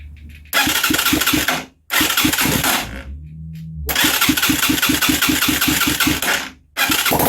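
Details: Huaniao HN125 Chinese motorcycle. It runs on starting fluid sprayed into the carb and barrel with no proper fuel supply. The single cranks, then catches in short ragged bursts of rapid firing that die out.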